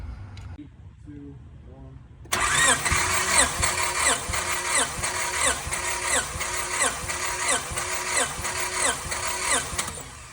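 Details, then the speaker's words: Honda EM1 compression test at about ten cranks per cylinder; readings reached 210–220 psi, though the tester was found faulty and read low. Starter turns at a steady pace with evenly spaced compression pulses and no lagging cylinder; even, healthy compression. "yes I had my neighbor right now hold the camera for me um to see the readings and yeah I went up to 210 220 even"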